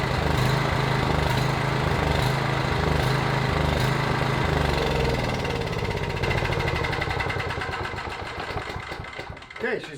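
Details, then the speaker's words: PowerBoss 5500 W generator, Briggs & Stratton 9.5 hp OHV, rebuilt from parts, primed, plug gapped 0.030 in: catches and holds steady chugging run, then slows and fades as fuel runs out; engine running fine. "good she's running out of gas so i shut it off"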